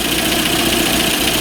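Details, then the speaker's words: Engine idling with a fast, light metallic top-end tapping from camshaft end play. Pressing on the cam end plug with a hammer stops it. Planned fix: measure the end play, then have a turner take about 0.5 mm off the plug. "Какой-то стук идет, да? Надо поочередно подключать форсунки. Может, на каком-то цилиндре стук пропадет."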